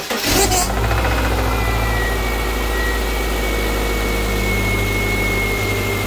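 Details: 2009 Subaru Outback at idle, first start after steering rack replacement with fresh fluid and the system bled: steady high whine over the engine; the power steering pump is believed bad, staying loud even after bleeding.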